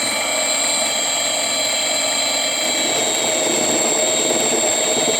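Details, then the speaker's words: Sieg mini lathe after rebuild, first facing cut with indexable carbide tip at roughly 300 rpm in low range: steady spindle whir and hiss, with the motor audibly labouring and loading down under the cut. "You guys can probably hear it loading down."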